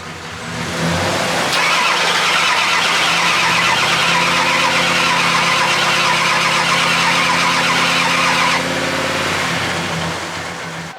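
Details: Ford F250 diesel cranking long and steady with uneven puffs that almost catch but never run up, after battery charging and possibly ether; cranks but will not start, cause suspected, not confirmed.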